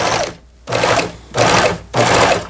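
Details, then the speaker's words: Pfaff Tipmatic 6110 sewing machine after repair, thread tensions fixed, sewing at setting 5: three even half-second bursts of quick light stitching, smooth, no knocks; normal operation. "부드럽게 박음질이 돼서 나오네요. 아래 실, 위 실도 장력이 수리가 됐기 때문에 지금 이제 5번에 맞춰서도 박음질이 되고 있습니다."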